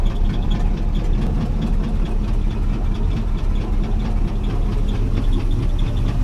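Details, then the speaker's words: Chevrolet 350 in a classic C10 pickup, sat about five years, restart: rough heavy idle with a regular sharp knock several times a second over the rumble; owner believes a rod is knocking, previous owner stopped driving it for the knock. "I just thought of something it wouldn't be right if I didn't show you the restart 350 Chevrolet boys even with a rod knocking these things are better than most engines"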